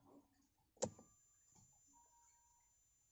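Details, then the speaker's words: Car dashboard ambient-light kit inverter: a constant high-pitched, ultrasonic-like whine like a small fan, under handling clunks; remedied by wrapping the inverter in sponge foam. "Seperti ada fan kecil ber- suara keras gitu seperti ultrasonik gitu."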